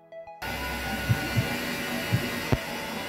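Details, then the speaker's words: Haier HW60 washing machine after drum bearing replacement: spin is a steady, even hum and motor whine with no rhythmic knocking; knock on spin is gone. "и все звук прошел перестала стучать"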